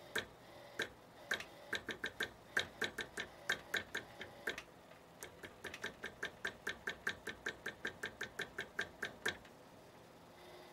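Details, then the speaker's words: CPU cooler fan (Thermaltake TR2-R1, 92 mm, AMD socket) in a PC: sharp, even ticking about four times a second over a faint hum, diagnosed as a bad fan bearing; the power supply fan is okay. "definitely this sounds like a bad bearing"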